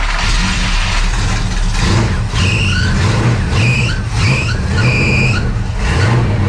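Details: Dirt race car after the fuel pump diaphragm hook was reattached and fuel flow restored: engine keeps running steadily, with sharp squeals in short bursts every second or so from squeaky belts while the alternator charges a run-down battery.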